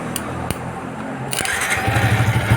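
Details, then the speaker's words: Yamaha New Vixion that would not start, with ignition on and the starter relay bridged by scissors: a few sharp clicks, then the starter spins and the engine catches with an even low beat. The starter motor brushes are still good. "Mesin bisa hidup berarti arang dinamo masih bagus ya."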